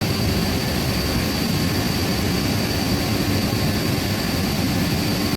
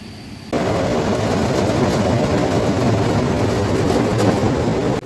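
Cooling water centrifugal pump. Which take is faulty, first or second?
second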